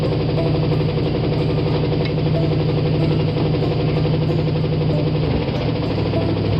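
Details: Carbureted Ford V8 started after sitting all winter, running on seven cylinders: rough idle with dull, irregular low thumping about three times a second under jackhammer-like clatter; rod knock suspected.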